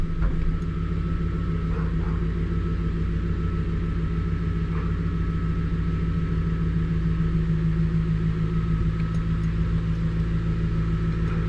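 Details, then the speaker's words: 1999 Infiniti Q45 (Y33, VH41DE V8), 190,000+ miles, in drive after throttle body cleaning: steady, even low rumble with no shake, stumble or tug; rough idle fixed, rpm back to normal. "put her in drive and reverse and she's not shaking anymore my rpms are back to normal"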